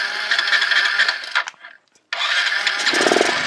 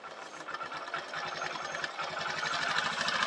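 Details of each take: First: Motorcycle with a morning starting problem, carburettor: it catches and runs briefly after starting, then fades and dies once the throttle is released, before restarting; stalling at idle. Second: Motorbike with a morning starting problem, now starting on the self-start button alone where it previously needed throttle and then stalled; steady single-cylinder putter, three to four beats a second, rising slightly as the idle RPM screw is turned up; healthy idle.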